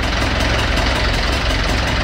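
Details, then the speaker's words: Marine diesel engine flooded with seawater, flushed with diesel and now on its third oil change: running again with a steady low chug, no misses or knocks, smoother than before. "all right so she's running again as you can hear I'm on to the third Oil Change uh just letting everything everything circulate"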